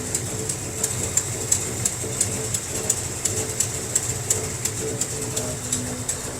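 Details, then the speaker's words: 1957 Chevy wagon barn-find V8, first start in 20 years, in an enclosed garage: sharp, fairly even tick about three per second over a low rumble. Rough idle; owner suspects it needs plugs, wires and carb adjustment. "Got a little bit of a mist, but I'm sure it needs plugs, wires. It needs some love."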